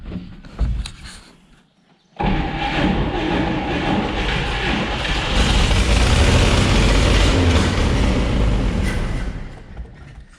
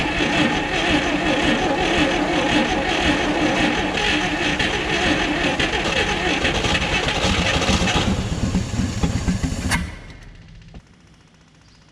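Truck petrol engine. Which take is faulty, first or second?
first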